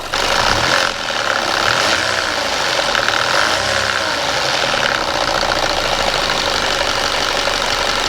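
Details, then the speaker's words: Audi A4 Avant on a drive after turbo work: the turbo noise is gone, but a new steady hissy rush with faint irregular ticking rides over the running engine; cause not yet identified. "So, I just took the A4 for a drive. The turbo noise is absolutely gone. But now, we've developed another noise."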